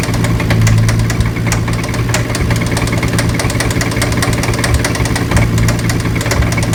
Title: 350z spun bearing